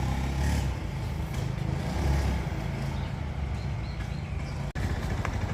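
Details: Honda Zoomer X scooter before repair: engine drones low and flat, revs barely climbing when the throttle opens; bogging traced to a clogged, faulty fuel injector after the fuel pump was checked and ruled out.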